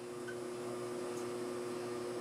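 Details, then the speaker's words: Whirlpool washer fills with water then just buzzes on wash, spin or drain cycles: a steady electrical hum with no agitation or spin, motor energized but stalled; humming suggests the timer is fine, owner suspects something clogged. "it stopped now it's passing past that and now it's humming again and because it's humming it makes me think that the timer's not bad"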